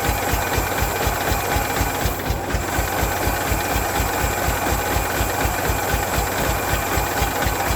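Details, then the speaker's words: Derelict 1992 Ford Flareside truck, first revival on a cold day, running on its own fuel at 57 psi fuel pressure, heard at the exhaust out back: a slow, uneven tractor-like chug about twice a second. Not firing on all six cylinders, a misfire at rough cold idle that smoothed somewhat after a couple of minutes. "sounds like an old tractor out back of the exhaust that kind of tells me it's not hitting on all six cylinders yeah i'll let it just keep stumbling along maybe it'll get enough heat build up in it that they'll all kick in"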